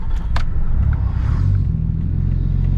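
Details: RB25DET after the spark plugs were regapped from 0.45 to 0.55 mm, having previously struggled to start and hold idle; started roadside in gear. A deep, even rumble with no stumble or misfire; it runs fine.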